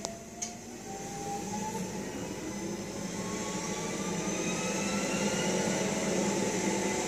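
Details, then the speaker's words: 1956 Cadillac automatic transmission: thin whine/squeal, present at cold idle and in reverse, climbs in pitch pulling away through first into second; better than before, cause undiagnosed. "So yeah, he's trying to diagnose a problem here. This whining, squealing. It's much better than it used to."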